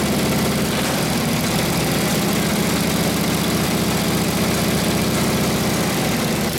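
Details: Rebuilt Harley 45ci WL flathead V-twin in a modified RL frame idles while warming up through its muffler; a loud, even, loping idle with a deep, steady exhaust beat and no knocks or rattles, healthy.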